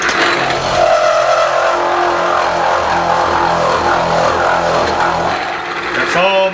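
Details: Milling machine with Niagara end mill, power feed at number three, cutter about three-quarters engaged: loud harsh cutting roar with strained whine, easing when feed is slowed to about 2.5: end mill overloaded, feed too high.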